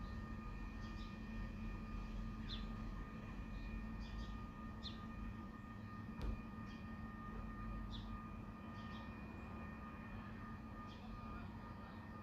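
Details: Unbroken deep hum with several fixed tones and faint bird chirps, recorded within a property; the nuisance drone is attributed to Spooner Industries, Ilkley, heard over months, mostly at night between 2am and 5am.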